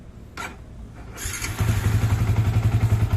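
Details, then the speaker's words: Used first-generation Yamaha Vixion (Vixion Old) single starting after a couple of cranks into a firm, even low idle, slightly coarse but steady; owner says this healthy coarseness is normal for Vixion, unlike a sick engine. "Nah jadi mesinnya Vixion itu agak kasar, tapi kasarnya itu kasar sehat sama berpenyakit pastinya beda ya. Kalau sehat tuh ya emang begini, suaranya agak kasar tapi enak."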